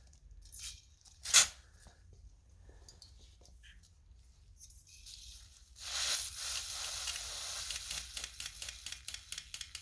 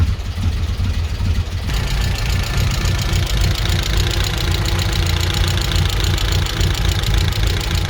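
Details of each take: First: 1994 Vauxhall Astra GSi (C20XE red top) injector on a battery-pulsed bench cleaning kit: clicking with sharp hissing spray, steady then in quick bursts; the injector looks old but sprays clean. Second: 1994 Vauxhall Astra GSi C20XE four-cylinder with new battery, new plugs, all four cylinders sparking; idle still slightly lumpy and hunting, cause not found.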